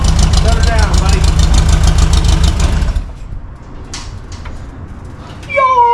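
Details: VW air-cooled engine in a Baja buggy, claimed 130 hp naturally aspirated, timing about 28°: strong, deep, even beat for about three seconds then clean shutoff; healthy engine revving.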